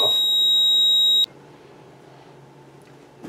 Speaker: I'm going to get troubles cuz my devices are no longer communicating with the panel